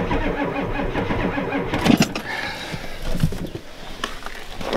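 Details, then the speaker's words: Ford F250 7.3 IDI diesel at 12°F, after ether: sluggish laboured cranking that drags and fades with no firing; owner suspects gelled fuel, and the weak batteries can't turn the cold diesel fast enough. "now it won't even fire it's probably jeweled up yeah it's too weak"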